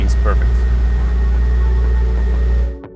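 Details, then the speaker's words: Porsche classic restoration, first start in months after priming fuel and oil pressure: deep, steady rumble with no missing beats, then clean shutoff; no misfire after the intrusive rebuild, running normally. "Once the engine started, it was amazing to hear it purr, that it wasn't misfiring after such an intrusive procedure like that."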